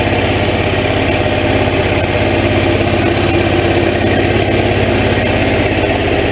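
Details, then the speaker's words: Hot rod golf cart small engine heard at the muffler and tailpipe tip. It gives an even, steady low exhaust rumble with a regular 'bubble bubble' firing pulse, not loud, and no misses or knocks. Running normally. "it's not gnarly loud well the tailpipes not loud it does have a nice Rumble coming through the muffler back here through the muffler in this tip I love that sound it's got a little bubble bubble bubble"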